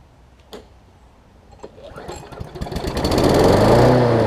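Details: John Deere JA62 push mower, about 15 years old, Briggs OHV engine, just after carb clean for gummed carb from sitting: catches after a few pulls and climbs unevenly, rising and dipping as it tries to settle; surging.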